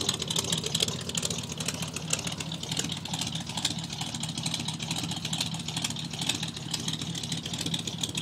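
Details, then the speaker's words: 1985 Chevrolet pickup, carbureted with electric choke, cold start around 30°F after sitting three weeks: slightly uneven pulsing idle, sounds near stalling but doesn't, settling as choke opens; normal cold idle. Owner wonders if something is missing off the carb. "It almost sounds like it's gonna die, but it won't. And I think after the electric choke tells it to, it's gonna open up a little bit, and then idle will start smoothing out"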